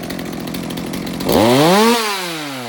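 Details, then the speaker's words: Stihl MS200T chainsaw after fuel line replacement, warm, no chain: throttle snap gives slightly hesitant rise before screaming up, then falls back; owner suspects low jet/carb tuning needed due to bog on trigger. "So it sounds like maybe there is still a little bit of carb tuning that could happen here. You know, the saw is warm, it doesn't have a chain on it, but it sounds like the low jet might need a little work because it's got a little bit of a bog when I hit the trigger."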